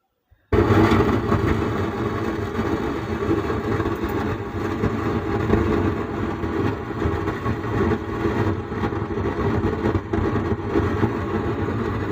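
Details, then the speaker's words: Sound Standard CA20 amplifier, opened on bench, signal LED lit: with volume at zero the speaker still gives a steady rough flapping buzz right after power-on, unchanged by volume; output stage fault, faulty output IC suspected. "Amplifier में देखिए य जो signal का light है LED है य खिल रहा है और एमप्लीफायर चालू है लेकिन इसमें वॉल्यूम बंद है फिर भी देखिए बॉक्स में ऐसे आवाज आ रहा है और वॉल्यूम देने से भी भी आज आज आता है और जीरो करने से भी वॉल्यूम आ रहा है तो यही प्रॉब्लम है"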